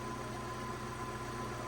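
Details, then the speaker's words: Steady idle on a newly acquired project car with an even low throb and faint rattly hum underneath; owner suspects a noisy clutch, doubts it is the gearbox but will check, and may pull the engine. "that that's a noisy clutch if we got to do the clutch on this that's that's mad"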